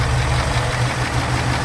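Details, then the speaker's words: 2018 Mustang GT with custom cold air intake, at V8 idle: sharp, even clapping tick about five times a second; the tapping returns once plugged back in; car also has typewriter tick and 2k rpm rattle. "and here comes that clap again that tapping"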